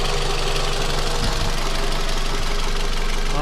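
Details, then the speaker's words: 2006 Scion tC 5-speed manual, after head pulled for low compression and valve stem seal replacement: warm four-cylinder at operating temperature in steady, even idle with low smooth hum, no misses or knocks; test drive to check higher RPM still to come. "I'm gonna go take it for a quick little drive around the neighborhood just to make sure that the engine is happy, because idling is one thing, but getting it up to RPM is another."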